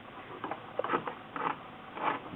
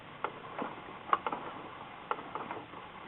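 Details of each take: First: A Singer 6412 Millennium Series sewing machine is turned slowly by hand. Short scraping grinds about twice a second come from a loose screw inside its right side. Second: Singer 6412 Millennium Series sewing machine after fixing a skipping/grinding fault on the right side, turned by hand. Light, even needle up-down ticks, continuous, with no grinding or skipping.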